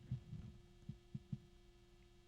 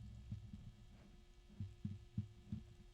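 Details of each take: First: GamePower Skadi V2 360mm AIO pump; faint steady hum with soft low thumps, no gurgling: pump running normally and quietly. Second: GamePower Skadi V2 360mm AIO pump turned so its intake is not mounted low, letting air collect; low pump hum broken by irregular gurgling thumps and bubbling pops: noisy pump from trapped air.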